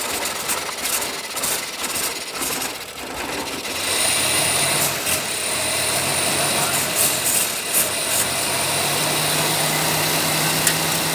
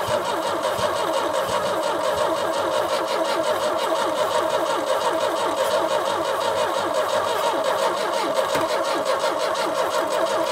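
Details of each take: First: 1989 Chevy S10 pickup, 2.5L Iron Duke four-cylinder, 5-speed manual, abandoned about 22 years in a Michigan field, started on a trigger switch with little gas: after a few rough seconds it settles into a steady, even run with no misses or knocks, sounding healthy. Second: 1989 Chevy S10, 2.5L four-cylinder Iron Duke, 5-speed manual, abandoned about 22 years in a Michigan field: steady starter cranking with no firing; smells of gross gas, spark present but weak, so it cranks but won't start.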